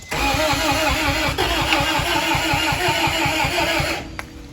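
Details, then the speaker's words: 1991 Acura Integra LS after a new fuel pump, first start attempt in years: steady cranking with even compression pulses about three per second, never firing, with a puff of smoke from wet cylinder 4. Clogged injectors suspected. "I mean, I hear the compression. So we're getting compression, but we need to do some more diagnostics."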